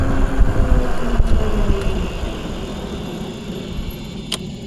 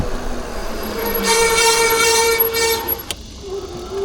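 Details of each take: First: Eilleo SpaceWalk M7 electric bike after replacing front and rear brake pads: low rolling rumble and wind with light clicks, braking dead silent with no horn-like rotor squeal or grinding. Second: Eilleo SpaceWalk M7 electric bike before a brake pad change: the disc brake rotor gives a loud horn-like honk, a steady tone near 450 Hz with bright overtones. The fix is new brake pads.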